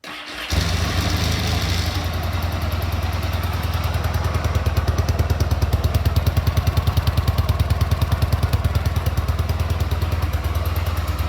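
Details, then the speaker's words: Rebuilt 1973 Yamaha TX650 twin with 17,099 miles, carburetor, top and bottom end freshly redone: cold start on choke, a few quick cranks, then it settles into a steady, even idle with no knocks or misses; normal cold start and idle. "I'm gonna crank it up for you. I'm gonna turn the gas on. Give it the choke."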